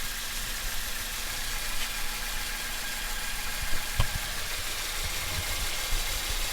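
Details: Toyota Matrix/Corolla 1.8L 1ZZ-FE four-cylinder started after a valve cover gasket replacement for an oil leak, idling steadily with a soft low rumble and no knocks or misses, a light hiss behind; checking for leaks.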